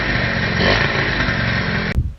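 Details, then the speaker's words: Small single-cylinder engine: raw blatty exhaust bark running fast and rough, then cut off sharply; far too loud, needs a proper exhaust. "it's a little bit loud so I think I'm gonna vote on the exhaust and I will call this a night she's alive"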